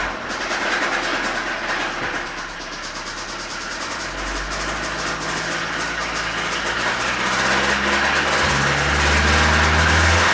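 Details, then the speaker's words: 2017 Hyundai Sonata Hybrid, 88,000 miles, raised toward 1,000 rpm for an oil pressure check: fast, even metallic rattle that stays with rising revs. Oil pressure is present and the cam phasers are locked, so the timing chain tensioner is blamed for the chain rattle. "okay so we have oil pressure our phasers are locked to the cams so the only thing left that it leaves is our timing chain tensioner"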